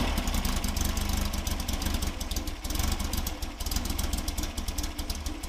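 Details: Fresh VW 1776 air-cooled boxer build on engine stand, dual Webers, Mahle 90.5 pistons, 69mm counterweighted crank, full-flow oiling, stock heater-box exhaust: crisp even beat, lumpy carb idle, clean rev blips; healthy running.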